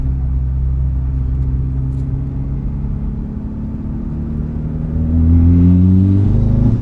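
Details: Mitsubishi Evo X with intake, turboback exhaust, FMIC and Grimmspeed 3-port EBCS at wide-open throttle in 3rd gear, air temps around 58F: note stumbles and breaks up just past 3,000 rpm; now also in 2nd gear; misfire cause not pinned down.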